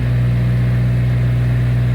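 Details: Hyundai Sonata petrol engine idles with a heavy, steady low drone, with an abnormal sound and body vibration.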